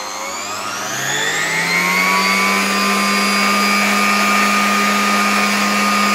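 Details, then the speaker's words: 1987 Zelmer 200.8 vacuum cleaner with replacement type 300 motor, original sparked excessively, run through a voltage regulator: whine climbs then holds smooth steady pitch, no sparking or crackle, slightly lower revs; normal running. "No i teraz muszę powiedzieć że działa to dużo dużo lepiej"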